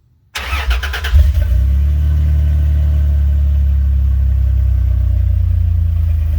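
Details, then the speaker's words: 2003 Dodge Ram 1500 right after a fuel pump replacement: brief crank, then it catches at once and settles into a steady, even low idle with no stumble; normal start, no leaks. "You hear it? She's running."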